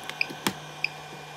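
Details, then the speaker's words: Homemade portable power bank with Everstart 400 W inverter running off battery: short high chirps about every 0.6 seconds, a low-battery warning that slows when the charging cable is plugged into the wall. "See, it doesn't chirp anymore, because it's still putting off, well, actually, it sort of is, but not as fast, because listen."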